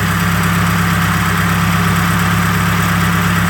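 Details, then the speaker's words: 1995 Nissan D21 Hardbody warm idle after winter storage, rocker arms previously done: quick light rhythmic tick about three per second over the rumble; owner suspects the valve cover area. "I'm always hearing it like something is probably the valve cover but"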